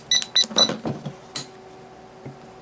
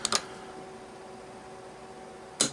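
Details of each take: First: Sargent & Greenleaf 6120 electronic safe lock, which had trouble opening with faint solenoid clicks, during troubleshooting after its Allen screw was refitted. A few high keypad beeps, then crisp single solenoid clicks and a clean latch release: a normal unlock. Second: Sargent and Greenleaf S&G 6120 electronic safe lock, removed from the safe and bench-tested with battery and keypad: sharp solenoid snaps at code entry, two quick then one more about two seconds later, but the bolt never moves; solenoid clicks but the lock fails to open, cause not confirmed.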